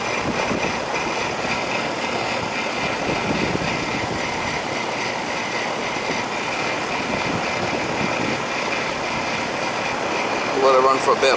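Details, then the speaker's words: Rheem air conditioner that wouldn't run, after fixing a low-voltage short at the condenser contactor and the blown air handler transformer: even condenser fan whoosh over steady compressor hum, no clicks or rattles; running normally, possibly low on refrigerant. "all right that condenser should start when we hit this there's the condenser hear it this is the condenser right here AC"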